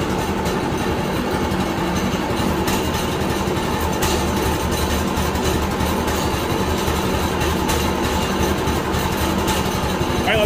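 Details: New Harbor Freight Predator 212 6.5 hp OHV engine swapped into a 1990s Manco Thunderbird minibike, first start and heat cycle on fresh gas and oil: even, steady single-cylinder idle, no misses or knocks. A healthy fresh engine.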